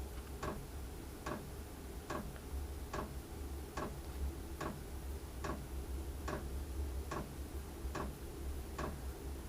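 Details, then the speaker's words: Chinese diesel heater in a shed during startup, before firing up: crisp single ticks a bit over once a second, steady and even over a quiet background, from the fuel dosing pump. Normal fuel pump ticking. "that's the heater ticking away it ticks like that until it's um and it goes really high ticking and high speed from the fan until it actually starts firing up"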